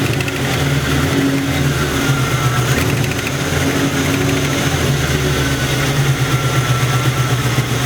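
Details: Internally stock LT1 V8, about 70-80k miles, Hooker long tube headers: fast sharp ticking following engine speed at idle and revs, mistaken for knock; exhaust leak at the driver's side rear header port, fixed by tightening.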